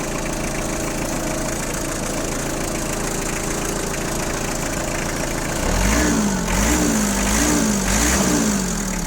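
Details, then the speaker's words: Kubota GT3 4WD mini tractor with front loader and power steering, 651 engine hours, cold start in frost: steady diesel clatter at idle, then clean throttle blips that rise and settle evenly; normal cold running. "давайте сейчас запустим так торец послушаем как работает в нашем морозе запуск"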